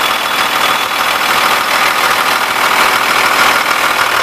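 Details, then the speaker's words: 2000 Blue Bird All American RE bus, remanufactured 5.9 Cummins 24-valve turbo diesel with remanufactured pump, 176,790 miles, just started after the grid heater fired: steady, even clatter with high-pitched hiss, no knocks or misses; normal diesel idle. "it's going to show a little low because the glow plugs just are the grid heater just fired up so we'll go ahead and start this so you can hear it run"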